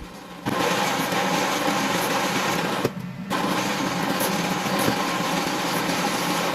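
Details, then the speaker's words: Drain cleaning machine sending cable into a restaurant kitchen floor waste drain with 20–30 years of grease build-up: a steady motor roar with rough churning grit and a brief dropout. Resistance as the cutter bites through solid grease. "As you can see, we're going to send as many cables as it takes to get through this blockage, but you see from the resistance there, that's really hitting against grease, you know, big chunks of grease."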